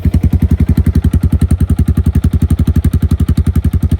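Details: 2017 Honda Foreman Rubicon 500 IRS 4x4 single-cylinder ATV after a top-end rebuild with OEM rings and valve adjustment, following submersion; strong, even thump at a steady fast idle, no misses, knocks or ticks; normal idle.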